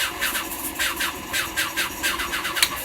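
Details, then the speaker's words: 1985 Sea Ray 270 boat cockpit blower motor switched on: a hum under a rapid, scratchy chirping squeal from a bad bearing; it works but should be replaced. "the blower blower works but should be replaced there's a bearing out on it so it squeals when you turn it on you'll hear that"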